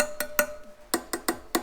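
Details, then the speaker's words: Rear wheel spokes on a 2002 Honda CRF450R dirt bike, tapped by hand: sharp, clean, bright pings from a properly tensioned spoke, compared against loose ones on the same wheel. "so I'll show you the difference between a loose spoke in a tight spoke so this one seems pretty tight"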